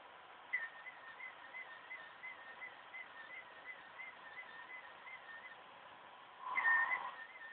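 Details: OCZ ZX1250 80+ Gold power supply during the standard Windows 7 performance assessment: thin high whistle near 2 kHz pulsing about four times a second over near silence; choke coil whine.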